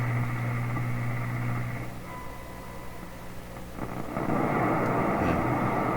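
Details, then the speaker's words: Canadian General Electric K60 radio during IF alignment, about 455 kHz injected at the antenna: steady test tone heard at only one dial point then static while tuning; injected frequency is not hitting the IF. "you hear the tone come in there at that one point? Right there? Okay, so if I'm feeding the IF into the radio, the tone you're hearing shouldn't disappear at any point, just because I'm tuning the radio."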